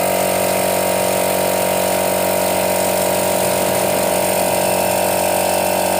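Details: Used portable direct-drive air compressor, cover missing, tap closed to test auto cut-off: steady even motor-and-pump drone while pressure builds; normal air compressor running.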